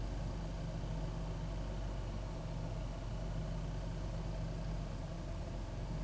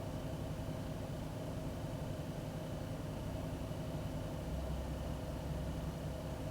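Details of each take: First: 2001 Ford Taurus after cleaning the throttle body and idle air control valve for a rough, irregular idle: low, even idle holding a steady beat with no hunting or stumbling; running better, new part needed if roughness returns. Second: 2001 Ford Taurus petrol engine after cleaning the idle air control valve; air filter and MAP checked: steady low idle with a faint uneven, lumpy pulse, no knock. Still a rough idle; faulty IAC valve suspected, not confirmed.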